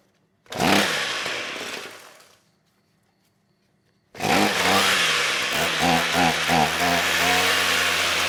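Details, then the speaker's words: Trash-picked Ryobi string trimmer small two-stroke, old stale fuel just replaced with fresh: buzzes up under two seconds and dies, then catches and runs ragged and uneven, won't keep running; spark and compression confirmed, fuel/carb suspected, may need cleaning or replacement. "okay well it runs so we got spark we got compression fuel is the issue"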